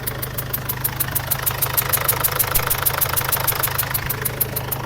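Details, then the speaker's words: Mazda BT50/Ford Ranger diesel (same engine) at idle: a sharp puffing tick about three times a second over the clatter, heard as air escaping around the injector. Pouring water on it shows a compression leak at the injector sealing washer. "เสียงมันเป็นเสียงลมเสียงลมรอดขึ้นมาบริเวณนี้บริเวณหัวฉีดนี่"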